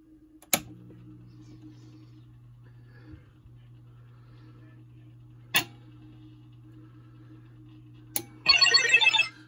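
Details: Bally Paragon -35 MPU with solenoid driver board and -50 sound board, tested on the bench after rebuild work (headers, caps, super cap): on reboot there are a few sharp relay clicks over a low steady hum, then a short chirpy burst, so it boots normally.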